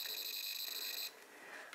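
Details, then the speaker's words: Amiga 1200 Rev 2B motherboard with an RGB fault: a logic probe on the resistor beside bad red register 7 gives a steady high tone that then drops out, showing pulses on that red RGB line. The signal is good. "Beautiful. That's what we should be hearing on that side."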